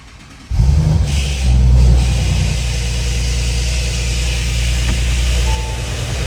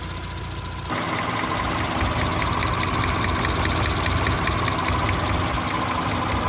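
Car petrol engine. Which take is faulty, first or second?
first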